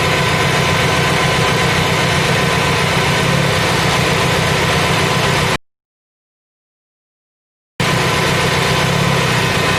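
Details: Fiat Punto idle sounds uneven, with a lumpy shaking beat of about four per second. Cylinder 4 misfires because a leak tester found its high-voltage plug lead leaking.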